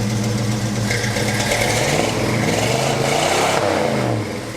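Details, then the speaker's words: Abandoned 1977 GMC Jimmy V8 revived, carburetor base gasket blown out at back corner: deep, lumpy diesel-like clatter rising and falling with throttle; extremely rich running, owner suspects accelerator pump needs adjusting. "it's extremely rich but it was if i didn't know better i would have thought that was a diesel it has a slight uh mist like the accelerator pump needs adjusted on it or something"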